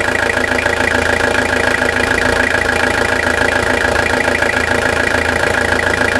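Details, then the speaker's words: Toyota Hilux SR5 2.8 diesel, 2000/01, 1,000 km after full revitalization service, gearbox leak fixed, heard from underneath the engine: even, steady diesel clatter at idle, about three and a half beats a second, no misses or knocks; normal diesel idle. "Isso que é melodia de motor, né? Pode falar a verdade."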